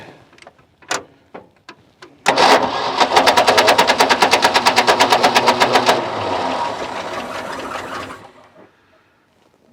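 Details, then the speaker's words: Ford F600 ex-U-Haul truck with a 359 FT engine, sitting 20 years and freed from seizure; first start with the choke engaged and fuel not yet drawn from the tank. Quick sharp pops catch for about three seconds, then die back to cranking: it fires only on carburetor prime. "That sounded like it was running. All right. All right, you heard it."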